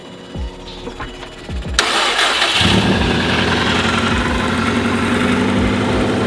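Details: 2004 Subaru WRX STI EJ, reused rod-and-piston short block built 7 or 8 years ago, unknown mileage, first start without alternator: cranking thumps then loud busy clattery idle; abnormal noise, crispy crackle and burning electrical smell noticed after, cause unconfirmed.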